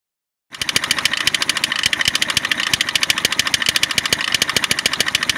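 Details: Peugeot 206 1.4 HDi diesel at nearly 350,000 km: sharp, regular clacking at about 3.5 per second at start and idle, reduced when accelerating or with A/C unplugged. The crankshaft damper pulley was found to be the cause, and the accessory belt is worn.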